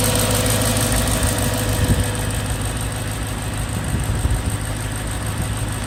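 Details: BMW E92 M3 S65 V8, 65,600 miles, oil changed 1 month/300 miles ago, idling: steady idle with light quick ticking over low rumble; tick developed cold, quieter warm but present, origin unknown.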